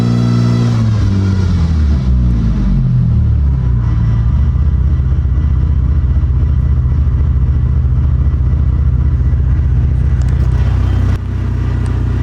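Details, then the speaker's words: Mitsubishi Evo X MR / Ralliart SST DCT470 dual-clutch transmission: revs climb freely with a low rough growl and grind while the drive never takes up and speed stays zero; stripped output splines. "So it just runs along, and as you can see with the splines, it'll make like a grrr noise."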